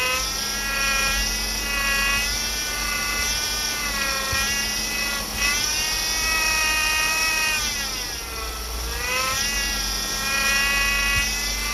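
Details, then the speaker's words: 2008 Chevy Impala 3.5 V6, noise persisting after power steering pump replacement, engine revved: high whine rising and falling with each rev; air bubbles in the fluid, so pump whine from aerated fluid. "When you look in the corners, there are little bubbles. See it? Reflecting off the light? Those are air bubbles. That's what's giving you that noise."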